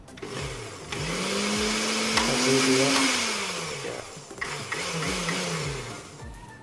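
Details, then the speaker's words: Cosmos blender reassembled after repair: motor spins up to a smooth steady hum, holds evenly, winds down and restarts cleanly; repair confirmed working. "Kita tes lagi ya untuk memastikan kondisinya benar sudah oke ya."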